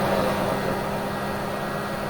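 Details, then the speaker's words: Chevy Bolt plugged in and charging at about 90°F outside: battery cooling blowers in the front grille kick on when the batteries get hot, giving a constant loud whoosh with a low hum and no ticking or grinding; normal fan operation. "small blowers going off, and so I guess when the batteries get fairly hot, the fans will kick on. It's about 90-ish degrees outside, so they're going pretty well. Yeah, they're fairly loud."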